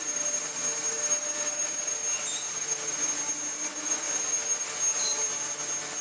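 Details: Dyson DC14 Telescope Reach vacuum after swapping a non-genuine non-clutched brushroll for a good used one: steady high-pitched motor whine with even airflow hiss, no rattles or surging; normal running.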